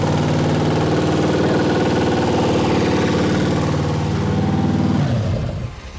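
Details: Ford V8 on its first start-up, running hot and blowing coolant, with a 4100 carburetor from an F100: lumpy, uneven running for five seconds, then winding down; a rocker arm jumped off its stud, causing rough running.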